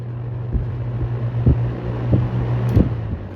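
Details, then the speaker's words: Vintage shaded-pole box fan after varnishing, on high: steady low motor hum, no buzz or squeal, running evenly; old racket gone, spin-down noted as poor. "see it doesn't make that noise anymore used to make a bunch of Racket"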